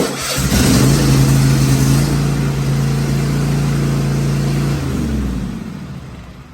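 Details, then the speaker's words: Cub Cadet XT1 Enduro (LT46/42) riding mower, first start after a battery replacement with an EverStart U1R-7 rated at 230 cold cranking amps. A brief crank, then the small engine catches and runs steadily before shutting down. A clean start with no odd noises. "And make sure it starts up."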